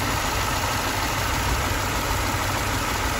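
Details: Mercedes-Benz idles rough and uneven, a lumpy low beat under steady hiss; constant misfire with shaking and power loss. Cause suspected, not confirmed: faulty ECU.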